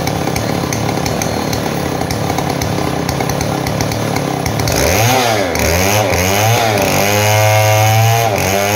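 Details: Model 070 two-stroke chainsaw, repaired after lacking power and backfiring: rasp settles into a loaded cutting note that bogs slightly and recovers each pass; pulling steadily through the wood.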